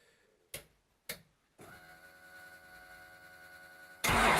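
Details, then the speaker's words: Datsun with Magnum V8 and newly installed supercharger, rewired harness, first start attempt: two sharp clicks, steady whine, then loud cranking that never catches; engine flooded as the ECU keeps spraying fuel, likely from the ignition box signalling excess rpm. "so after a little bit of playing with it it looks like the fuel injection system was flooding causing the engine to flood"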